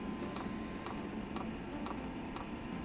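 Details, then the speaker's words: Eberspacher diesel heater, previously wired to the wrong (24 V) supply, with its own fuel pump fitted. A steady, crisp tick about twice a second over a quiet hiss as the dosing pump pushes air; it won't start until the line primes. "yeah so it should be working we are now pumping air that's the problem and until this line gets primed the heater will not start"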